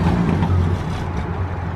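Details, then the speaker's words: Used manual Ford Ranger with rust, idling: deep, throaty rumble much louder than it should be; owners think a proper exhaust would make it very quiet and that it needs a muffler job. "no it's just it's loud and then it's very quiet like if I feel like if this thing was to have a proper exhaust on it it would be so quiet"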